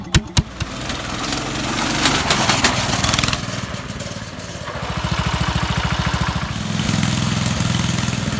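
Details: Vintage Cooper Klipper mower, single-cylinder engine: a few starting clatters, then a quick, steady popping beat. Runs evenly and normally.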